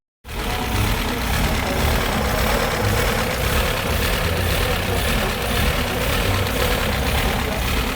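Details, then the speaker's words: 2017 Volkswagen Golf R-Line bought from Copart, where it was listed as run-and-drive. The engine idles with an uneven, rough low rumble and no distinct knock. The owner feels something is wrong but cannot identify the fault. "If the engine is good, what's wrong with it? Because the sound, it doesn't sound good."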